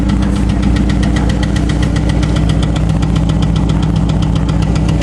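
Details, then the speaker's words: Chevrolet Cavalier engine ticking/knocking at idle after lifter repair; lifters now have no play but sharp even ticks about 2.5 per second persist over steady idle, owner suspects bottom end, runs better otherwise. "they got no play but it's still ticking they're knocking or something I don't know I think it's something in the bottom end"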